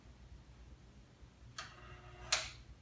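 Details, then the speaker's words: Long-idle AMI jukebox, just given away by a neighbor, on first plug-in of the power cord: quiet room hum, then two sharp dry clicks about 0.7 s apart. Clicking on power-up, cause unknown; motors later hum, possibly from old grease on the shafts. "hey a power cord i plugged it in i hear little clicky noises"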